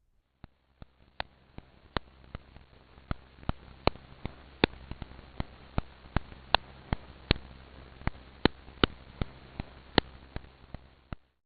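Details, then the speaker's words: Holroyd MHC Memo Pro acoustic emission sensor, 100 kHz signal demodulated to audible: sharp ticks about two and a half per second, uneven in strength over a quiet hiss; bearing inner race fault impacts. "This is useful in determining the nature of a specific fault, for example the inner race fault that you can hear now."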